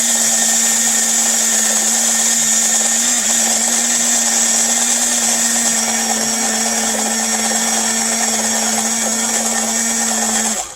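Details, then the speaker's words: Steady high-pitched motor whine and smooth gear hum at constant speed, no grinding, as a 1950s/60s Japanese die-cast HO 4-4-2 steam loco runs on bench power in a cradle; old cast side linkage began shattering. "well i got her running and she's running good but in the process her side linkage was breaking"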